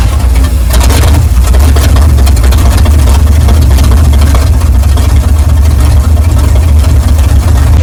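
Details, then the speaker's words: 1979 Chevy Suburban 8-door shuttle, carbureted, first run after sitting, with gas poured into the carburetor and the throttle possibly sticking: a deep, steady, even rumble with no knocks, misses or surging. It idles fine, then dies. "He's idling. Actually doesn't sound too bad."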